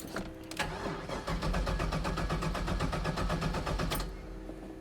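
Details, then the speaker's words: LS-swapped Camaro started after about 3 months sitting, fuel pump primed: steady cranking at about four beats a second, then the V8 fires and settles; oil pressure reaches 40. "Got oil pressure. Nice. Got up to 40 on the oil pressure."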